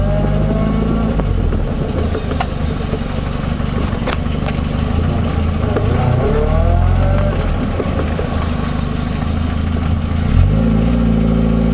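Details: 1978 Triumph Spitfire while driving: a loose, uneven knocking from the rear, caused by a failed passenger side axle universal joint.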